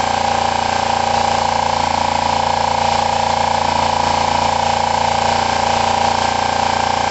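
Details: Kawasaki ER-5 parallel twin after timing and valve clearance work: steady but lumpy, limping idle at about three pulses a second, like one cylinder not firing; rough running, cause suspected, not confirmed, cylinder temperatures being checked.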